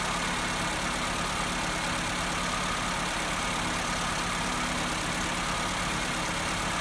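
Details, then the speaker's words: Petrol engine with an electronic idle valve, no fault codes and no vacuum leaks, idles steadily but too high because the idle valve adjustment screw loosened from vibration; fixed by turning it with a Phillips screwdriver. "bir hata kodu da gözükmüyor Fakat rolantisiz çok yüksek gördüğünüz gibi"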